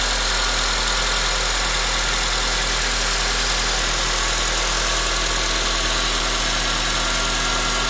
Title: 2004 Accord k24 weird engine noise